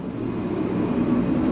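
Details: Diesel heater: deep steady roar that builds as the burner lights and settles evenly on a low setting; normal running.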